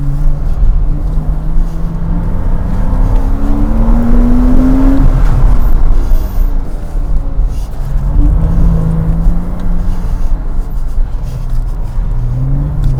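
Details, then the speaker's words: 2007 Porsche Cayman flat-six, hard-throttle autosolo run at Goodwood after an earlier Variocam-related misfire was repaired and now runs well: smooth climb through each gear with clean shifts, no stutter or flat spots; normal acceleration. "that felt better that felt a bit better it did it was better didn't select Reverse by mistake that time much quicker and clean"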